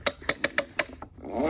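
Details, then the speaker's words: Baygen Freeplay wind-up radio with its drive belt off: a few sharp clicks, then a free rising whir as the spring unwinds unloaded. It releases all its spring energy at once; owner suspects it needs the belt's resistance. "Without a belt on it, it's losing it, so this has to have some resistance."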